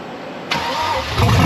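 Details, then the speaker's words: Jeep Cherokee with LS V8 swap, first start-up after wiring fuel pump and fan relays: starter catches, engine fires within a second into a deep, even rumble with no knocks; sounds healthy, gauges and tach work, alternator not spinning yet. "Sounds healthy. Gauges seem to work. Tack works."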